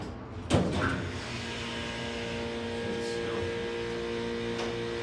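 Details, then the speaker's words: Otis HLS hydraulic elevator installed in 1978, relay logic control, 4 floors, 2500 lb capacity, 125 FPM, car going up: steady low pump motor hum with sharp relay clicks at the start and mid-run; smooth, even operation. "Now listen to this motor when it goes up. We'll hear the motor. Listen to these relays."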